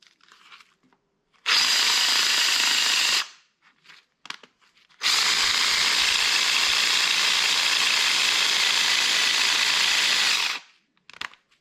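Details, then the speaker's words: Drill motor still jamming; high whir in two bursts of about two and five seconds, stopping abruptly; owner suspects the bearing, says it needs a new motor. "got stuck again oh my NE now it's really stuck has to be the bearing"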